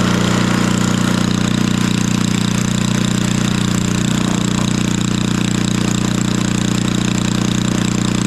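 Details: 1964 Wards Power Kraft 110 V 1250 W generator with small Briggs & Stratton single-cylinder, choke off after spark check, possible sticking float; steady even putter at constant speed, no misses; normal running.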